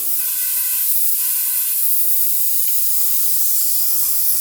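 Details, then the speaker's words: Front tire on a long-unused auction motorcycle, fairly new tire, pumped up from low pressure but not holding: thin steady hiss of air escaping through the tire, no engine noise; tire air leak, new front tire needed. "It's coming out right through there. Yeah. So it looks like we need a new front tire for it."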